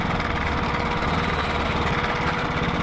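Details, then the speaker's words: KTM Duke 390 single-cylinder at gentle revs, noise appeared suddenly while riding, no heating or power loss noticed: light metallic chatter over the exhaust beat; failed cam chain tensioner. "So guys the problem is this is a chain tensioner. तो ये वाला ख़राब हो चुका है."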